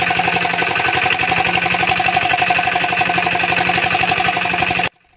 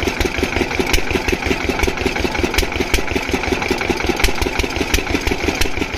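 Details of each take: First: Single-cylinder diesel thumps evenly for five seconds, then dies abruptly; air got back into the fuel system, possibly via a dried-out filter, and must be bled again. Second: Diesel water-pump engine, after fixing the no-start caused by fuel not reaching the pump, chugs steadily with a regular firing beat and no knocks or misses; running perfectly, no problem.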